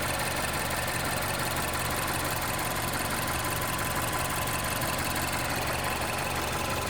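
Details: 2011 Mazda CX-7 2.3 turbo at idle: loud, busy ticking clatter over the engine; abnormal mechanical noise, cause unclear.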